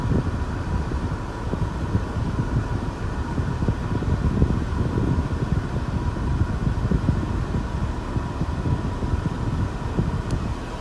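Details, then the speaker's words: Mercedes W124 M103 with random overheating, after cleaning the 30A low-speed and 40A high-speed fan relay contacts, cooling system replaced: fans kick on with steady whooshing airflow and an even hum over idle. Normal fan operation. "So clean those contacts a little bit. And you can see it's starting to. Fans just kicked on."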